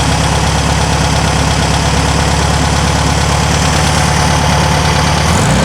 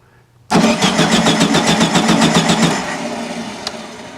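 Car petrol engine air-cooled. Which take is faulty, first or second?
second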